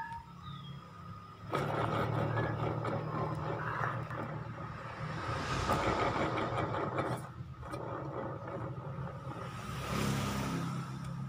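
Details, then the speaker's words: Honda Vario 125, CVT cover open, pulley spun unloaded: rough gritty rumble swelling and fading with revs, krek-krek noise while riding; worn bearing inside CVT pulley. "Ayo kita buka dulu kulitnya nih kayaknya laher pully nya nih yang kena"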